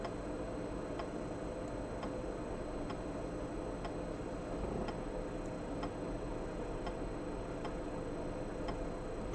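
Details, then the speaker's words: Floppy drive on an Atari MegaST with HD-floppy modification, formatting a disk at low density: crisp light ticks about once a second over a quiet hum; head stepping normally, though high-density switching still fails. "So now I'm formatting the floppy at low density, and that works."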